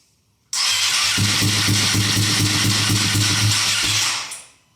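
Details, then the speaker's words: Ducati Panigale V2 Bayliss wrecked-bike rebuild, first start after 3–4 months, in neutral with little fuel; catches at once into a steady, lumpy twin-cylinder idle; smoke off the rear header, likely cleaning products. "She runs finally after 3 or 4 months. But there is smoke coming off the side. How awesome is that? That sounds wicked."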